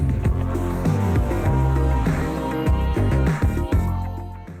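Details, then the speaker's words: Sony WM-F65 Walkman cassette playback during repair is dull and muffled, top end gone, bass full; head adjusted back to stop tape chewing. Owner suspects head/roller alignment and a worn pinch roller; misaligned playback head gives muffled playback. "so yeah not sounding too flash um as i said each time i adjust the hit assembly to make it sound really good and bring the treble back um it started chewing tapes which i think is the alignment"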